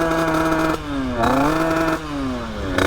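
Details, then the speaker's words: 50cc two-stroke: blips climb briefly then sag instead of revving out; owner suspects ignition timing (worn ignition, set at 0.035) or a very rich mixture. "Soit l'allumage s'est décalé parce que elle prend pas les tours. Ou soit la moto est très très riche."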